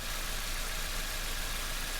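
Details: Toyota Matrix/Corolla 1.8L 1ZZ-FE four-cylinder, started right after a valve cover gasket replacement to check for oil leaks (it previously leaked at the front corner): smooth, even idle with a steady low rumble and no knocks or ticks, sounding healthy.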